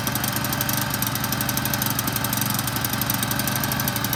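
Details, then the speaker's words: Toro Z5000 TimeCutter zero-turn mower, Kohler Courage 21 engine, revved after relay work with nothing engaged: small engine screaming flat out at a steady high pitch, fast buzzy firing, engine racing at full throttle. "This thing looks dangerous. Like if I had that all the way down, you know what I'm saying? It's like full open."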